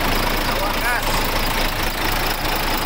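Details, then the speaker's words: Freshly overhauled diesel engine just after first start (caught on the second attempt), idling for break-in: a steady, dense clatter with no misses or surging. The rebuild is running healthy. "bale napaandar na natin yung makina i-break in natin ang mga trades yan mga buddy"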